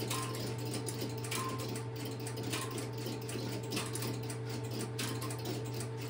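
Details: Stromberg Carlson X-Y telephone switching equipment in a private collection, a call placed into it: constant low hum with steady mechanical ticking and periodic clicks about every second as the interrupter runs; normal interrupter operation.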